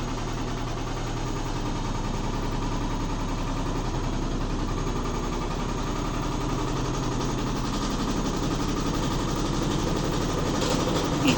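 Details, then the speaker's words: Neighbour's Midea HealthGuard washer in spin: low rhythmic thumping at about three beats a second that builds as the drum speeds up. It shakes heavily but does not move; the speaker suspects something loose inside, not confirmed. "Mas eu acho que ela só treme, não sai do lugar não. Gente, ela nem se mexe. Parece ter sido alguma coisa interna que tá solta."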